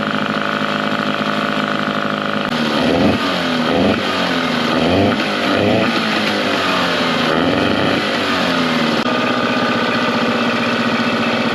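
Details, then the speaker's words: Mercury 9.9 outboard revived after years sitting, upgraded carb and spark plugs to 15 hp, new hoses and gear lube, run in test tank over 10 minutes: steady running, revs rising and falling, even note with no misses or stalling. "so okay guys so the motor was running over 10 minutes and didn't stall out or anything"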